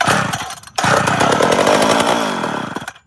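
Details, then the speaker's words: Chainsaw with leaking tank and unrebuilt carb, fuel sprayed into diaphragm: catches, screams about two seconds, then cuts out dead; fires on primer but isn't drawing fuel, tank needs sorting. "and that's all it does so I'm going to have to sort the tank out again"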